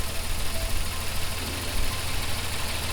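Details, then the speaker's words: 1988 Toyota FJ62 Land Cruiser before exhaust replacement, the old exhaust rusted with several holes: a very loud, steady low idle with a raspy, slightly uneven puffing note from underneath, an exhaust leak. "you have no idea how loud it is it's actually it's actually really hot on my hands so i think it's going to be it's going to be a huge difference changing this exhaust down"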